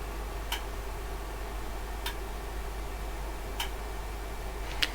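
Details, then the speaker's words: OWON XDM3051 bench multimeter in dual display mode; a relay clicks crisply about every 1.5 seconds as it switches between the two measurements, over a faint, fairly loud internal fan hum: normal relay switching. "It's a bit annoying in this mode, there's a constant clicking from a relay inside as it changes between the two measurements, and that would get a bit annoying after a while."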